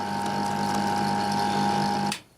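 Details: Fan motor with sleeve bearings that squeaked and coasted to a quick halt, after cleaning and oiling the bearings: smooth steady hum with clean tone, no squeak, then a quick quiet stop; bearings now running freely.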